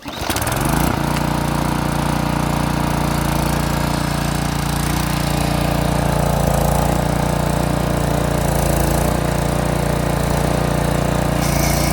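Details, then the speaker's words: Craftsman edger with Briggs & Stratton 550 series engine, brought in as a no-start, after swapping in an OEM carburetor: it starts and holds a steady, even single-cylinder putter with no misses or surging. "Well, it started. That's a good start."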